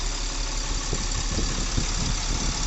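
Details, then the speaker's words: Tata Cummins BS4 diesel truck after repair of tapping and vibration: even diesel clatter at steady idle with a regular rhythm, sound now smoother. Normal idle. "और engine account सुन लीजिए काम होने के बाद का ठीक है ना थे साउंड एकदम बदल चुका है साउंड मीठा हो चुका है"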